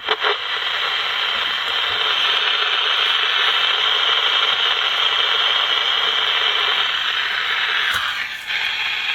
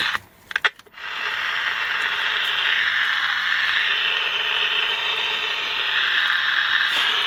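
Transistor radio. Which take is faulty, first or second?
second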